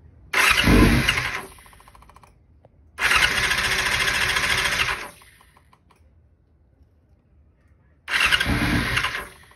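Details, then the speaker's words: 2000 Yamaha R6 test run after carb cleaning and diaphragm replacement, carbs installed without airbox: three short bursts of starter cranking with no firing at all; cranks but won't start, out of fuel. "could be just out of fuel yeah i'm thinking it's probably the fuel it was indeed"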